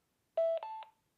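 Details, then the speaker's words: Pacific X10DR wireless public-safety remote speaker mic after repair, pairing mode entered by holding both blue buttons: two short clean tones, lower then higher ding-dong, confirming successful pairing. "Did you hear that ding dong? We've got solid here, solid here. And they are being paired."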